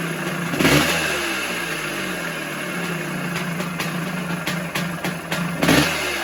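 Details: 1978 Yamaha YZ400E two-stroke motocross bike idling and revving: light metallic rattle over the exhaust that comes and goes with blips, also graunchy on kickover; owner suspects the top end, maybe needing a piston and small end.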